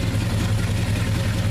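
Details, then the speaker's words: 1969 Dodge Dart V8 revived after sitting, with a leaking valve cover. It is warm, cooling without dumping water, and the smoke has mostly cleared. It holds a smooth, even, steady idle with no ticking or misses. "The engine's quieted down, so the smoke's mostly cleared up."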